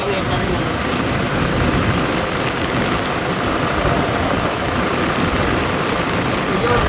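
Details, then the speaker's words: 2016 Toyota HiAce 3.0 diesel after replacing the seized alternator pulley and fan belt (genuine Bando), AC on: steady, even idle with constant low drone, no squeal, chirp or rattle; loud engine noise gone. "okay na mga paps talagang alternator pulley ang bigay nawala na yung malakas na ingay sa a makina"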